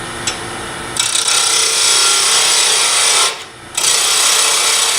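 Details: Wood lathe set around 1800 rpm, parting tool cutting a tool handle to length: even, high rasping hiss in steady bursts as the tool bites, lathe holding speed; a normal parting cut.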